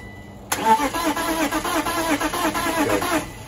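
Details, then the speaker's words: BMW E34 Touring 5-speed parked 7 years, needing fuel pump: steady rhythmic cranking with uneven coughs and a backfire but never starts; crank no start, spark or fuel suspected, not confirmed. "so either all of a sudden we're not getting Sparkle we're not getting deal one of the two of course"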